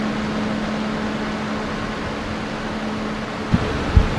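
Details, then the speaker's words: 12V solar shop cooling fan after swapping a 3D-printed hexagonal grill for a circular wire mesh grill, mic right up close: soft, steady low hum with no rattle or tick; runs quietly with improved airflow. "just barely hear the fan running right up close to it with the microphone"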